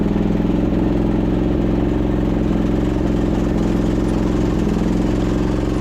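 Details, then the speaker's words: 2008 Husqvarna YTH2242 with a Briggs V-twin, before repair, belt tension loosened: an uneven drone stumbling about once a second with a lopsided beat and really down on power. It is firing on one cylinder because of a bent push rod. "It's not sure how it wants to run. It's really down on power. Transmission feels pretty good. But yeah, you could tell engine is not running right."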